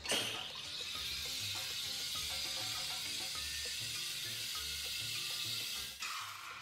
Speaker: usually you'll hear your milk screaming at you when that happens